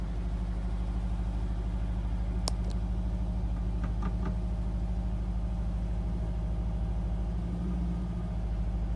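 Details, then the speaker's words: Petrol engine with a misfire that worsens as it warms up, suspected to be a sensor rather than fuel delivery: idling with a low, uneven, lumpy throb, vibration and some hunting. "Okay, there is still a bit of vibration, little bit of shaking. That's rougher than I would have expected, but let's see if it settles down."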